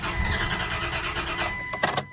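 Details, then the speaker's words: 1998 Dodge Dakota 3.9 L after heater core replacement: even cranking under two seconds, a few clicks, no firing; crank and cam signals good, no fuel pressure, injection pulse and spark being checked. "it's good so no fuel pressure okay so just to be sure there you go no fuel pressure"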